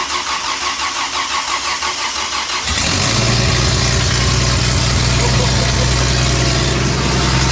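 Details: Toyota 2F engine after year-long full rebuild, new starter and carb, after earlier flooding: starter cranks under three seconds, then it fires and settles into a steady, even idle; normal first start.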